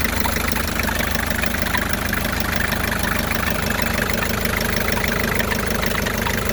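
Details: 1984 Isuzu P'up diesel at steady idle, even clatter repeating about twice a second over low rumble; unidentified idle noise, source not pinned down.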